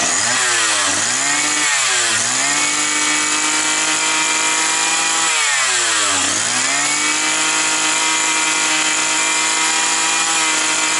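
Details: Likely 52cc brush cutter that started and stalled, probably after winter storage, air filter refitted (mixture may run slightly rich). It revs up to a steady high buzz, dipping briefly twice and recovering; owner feels the carb jet isn't at 100% and may replace the carburetor.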